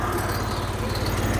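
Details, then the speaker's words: Cummins Onan QG5500 gas generator with a flashing red light, not producing power, new spark plugs fitted: low, uneven chugging, running rough; cause found to be a broken brush block. "the flashing light tells us that it is running yes obviously but it's not making power when the light is flashing it says we're not making power and you can hear that it's it's off it's not running well"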